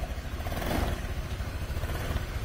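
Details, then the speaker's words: Motorcycle that died suddenly while riding and was hard to start, restarted after work with a spark plug wrench: the small single-cylinder engine catches, then idles and rises and falls with quick throttle blips, running steady and healthy. "Ya kita starter Apakah hidup ya oke ya hidup ya teman-teman ya"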